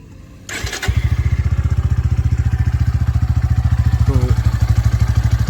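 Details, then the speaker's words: Motorcycle after its 3rd service with Motul oil. Catches after a brief crank and settles into a rapid, even beat with steady pitch and no knocks or rattles; no unusual sound, normal healthy idle. "ये कुछ engine sound है, किसी प्रकार का अलग सा कुछ sound नहीं आ रहा। जो इंजन में जो साउंड आता है ना, वो ही साउंड आ रहा है, जैसे कि आप सुन रहे हो।"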